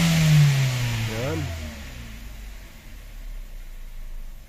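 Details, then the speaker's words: Engine that stalled after driving; the cause was low coolant, and an old oxygen sensor fault code is also stored. With coolant refilled, one quick rev rises and falls cleanly with no delay or stumble, then returns to an even idle; normal revving. "Ayun umangat na rev responsive na siya"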